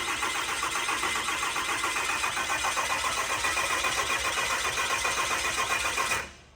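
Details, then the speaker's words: 6.4L Cummins diesel just installed in an 07 quad cab, cranking with injectors unplugged to build oil pressure, so it won't start: steady starter cranking, three to four even pulses a second, no odd knocks; normal cranking. "Now we are going to crank it to build oil pressure. The injectors, again, are not hooked up, so this thing's not going to start. We're listening for any crazy noises."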